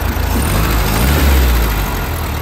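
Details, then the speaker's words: 1973 Volkswagen Standard Beetle after replacing failed fuel pump with an electric fuel pump, idle adjusted down: deep, even low idle with steady beat, no misses or knocks; running smooth. "But I got the car, got it idled down. Everything's working, running pretty smooth."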